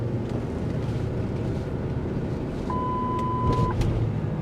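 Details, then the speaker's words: 2003 Lincoln Navigator, 325K miles, driving: low, even road and engine rumble with one chime; earlier noise on pulling away is gone, adaptive traction control still not working. "okay so aside from the adaptive traction control not working the noise that it was making earlier is gone"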